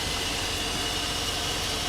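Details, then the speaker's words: 2002 Chevy Avalanche 1500 with 5.3 LM7 V8, with new alternator, belt and battery. Steady low rumble, smooth and unbroken, with no knocks or squeals; the engine idles cleanly. "It's running real good."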